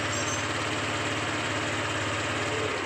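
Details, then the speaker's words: Honda Vario 150 scooter idling before CVT and clutch service: smooth, even, steady low hum with no knocks, rattles or grinding. The engine still sounds good and smooth. "masih bagus ya masih halus"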